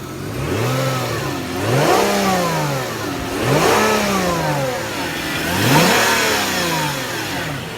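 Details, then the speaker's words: Hyundai engine previously knocking, after Lucas stabilizer and Liqui Molly ceramic additive and replacement of a failed pulley that was the actual cause: smooth, even revving, no knock or squeal; sounds healthy. "sounds good right okay so the actual problem was a pulley"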